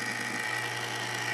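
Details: 1940s ManSon Small Machines miniature lathe, restored with a new power cord, belt fitted, running at slow speed with the lead screw turning: even steady motor hum with a thin constant whine, no knocks or rubbing; runs smoothly.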